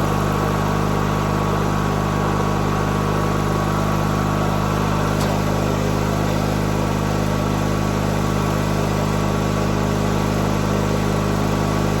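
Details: 1997 MTD Yard Machines riding mower, tank refilled from empty; small single-cylinder engine holds a steady, slightly uneven idle after a hard start, cause unknown.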